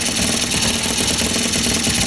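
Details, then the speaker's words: 50cc scooter with new 70cc big bore kit, second start on first day, cold shop about 40 degrees: steady buzzy two-stroke idle with even crackle, no misses or knocking, running healthy. "yep it's starting up"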